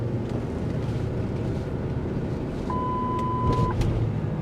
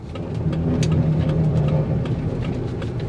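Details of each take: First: 2003 Lincoln Navigator, 325K miles, driving: low, even road and engine rumble with one chime; earlier noise on pulling away is gone, adaptive traction control still not working. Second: 2003 Lincoln Navigator, 325,000 miles, pulling away from a stoplight: engine rumble swells with a faint hum and light clicks about four a second, a weird noise only on first hitting the gas, then gone; no vibration, shifting fine.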